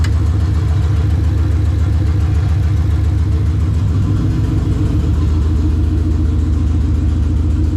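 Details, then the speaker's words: Coyote-swapped SN95 Mustang on the lift, newly welded exhaust, first drive day: loud raspy idle with sharp rapid chuffing, sounding like a big exhaust leak from the side of the heads; owner hopes it's just lack of back pressure, cause unconfirmed. "you guys probably heard it it sounds like a big exhaust leak like almost like it's coming out of the side of the heads"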